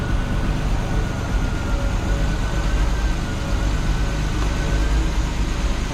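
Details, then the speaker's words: Triumph GT6 after a new water pump, first start on the ground warming up to bleed air from the cooling system; smooth, even idle with a steady low hum and no ticks or knocks, normal idle. "there we go yeah and she run again we're gonna let her warm up make sure we get all the bubbles out of the system"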